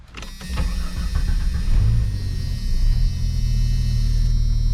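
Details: 1991 Jeep Cherokee Briarwood after a new alternator replaced the dead one: a few starting clicks, then a low, even engine hum with no whine or knock. It runs smoothly, and the gauge shows about 14 volts.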